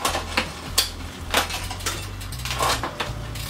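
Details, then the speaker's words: Shimano mechanical front derailleur on a road bike, checked after adjustment with deliberately rough shifts; crisp clicks and chain clatter, no overshift going in or coming out, no rubbing, clean front shifting. "I like to do a couple of kind of rough shifts if you like kind of simulate real world use we got no overshift going in we got no overshift coming"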